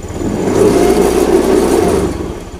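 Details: Honda Beat FI scooter that stumbled and died on throttle, after repair with fuel pressure at normal 40 PSI: engine revs up smoothly and settles back with no stumbling or misfire; pulls cleanly and healthy.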